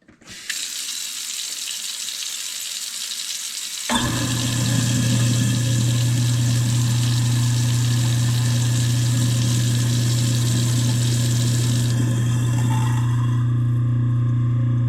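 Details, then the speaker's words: Newly installed replacement garbage disposal (the old one had rusted out and leaked), tested with water running: a steady, even low motor hum with no grinding or rattle. It runs normally after installation. "Now let's turn it on, make sure it works good."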